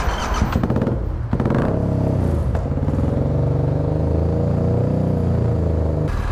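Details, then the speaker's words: Yamaha MT-07 twin, after backfiring through the intake: after some handling clatter it idles rough and lopsided, with one cylinder missing and spitting fuel. A stuck-open injector flooding that cylinder is suspected, not confirmed. "I think that injector's stuck open, and that's why it's never been never firing. It's just flooding that cylinder with gas."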